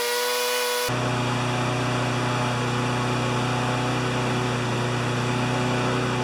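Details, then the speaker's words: Honda GCV160 lawn mower engine that previously ran either flat out near 6,000 or at 2,000 rpm, after governor arm bent to adjust: steady, high, even drone at about 3,589–3,612 rpm with no surging. Governed top speed holding steady; max rpm possibly better at 3,100–3,200. "but it's right at 35 89 3601 3612 so that's as good as it gets"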